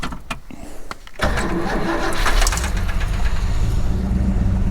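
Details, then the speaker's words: XF Falcon ute 351 Cleveland V8 with carb bowl primed directly with petrol, fuel pump not working, timing not yet set: a few cranks, then catches and settles into a steady, fairly smooth run with light revving. "sounds pretty good definitely running better on petrol"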